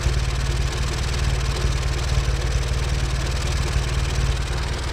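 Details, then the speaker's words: WWII Willys MB jeep: a steady, even low idle with a soft regular tappet tick. Runs smoothly with good response. "this is a cared Ford pampered Beast it hasn't sat around for 60 years and it does run like a Swiss watch right"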